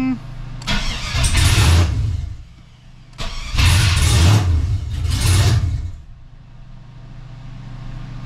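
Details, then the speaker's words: 2003 Chevy S10 ZR2 with home-built 5.7 Vortec 350 V8, open headers, just restarted after fixes: three quick revs then even idle, no popping or backfiring, noticeably smoother than before; normal running. "but I can feel sitting in here and I can hear it it's a lot smoother right now so we definitely fixed a thing or two"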